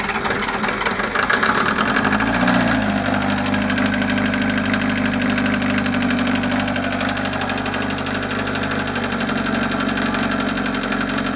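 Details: Westerbeke Four 60 15 HP diesel on a 33 ft Pearson sailboat, ambient about 75°F, hard starting: steady diesel run with a light quick tap about four per second; tapping source not yet found.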